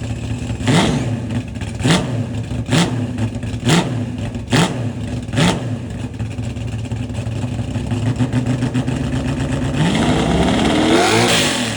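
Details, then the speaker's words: 1964 Chevy C10 V8 with new exhaust (X-pipe) and new distributor: deep rumble with repeated sharp throttle blips and raspy crackle on each rev, settling to a smooth idle; sounds healthy. "It sounds pretty good. It's got that kind of raspy sound to it, so it makes it sound pretty cool."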